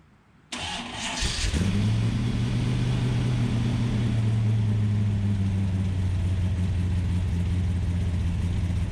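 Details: Ultima GTR with American V8, started on a jumper pack to check it warms up: cranks and catches at once, then settles into a steady, fairly fast idle that never drops back; high idle.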